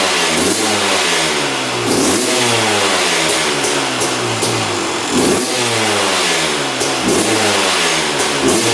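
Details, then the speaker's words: 2001 Honda CR250 two-stroke that sat a while, after draining old fuel and adding fresh 40:1 premix: crisp blips rising and falling cleanly, no hesitation or misfire; runs and revs healthily. "Heat. Looks like it's working pretty good."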